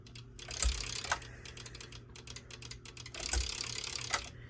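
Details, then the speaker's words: Westinghouse Origami ceiling fan, irregular sharp clicks over a faint fan hum, worse when the pull chain is held down; loose wires hitting the motor caused it, and it was solved. "oh i see what it is the wires are hitting the motor all right that's solved that sound wasn't normal i didn't know that was the wire causing that"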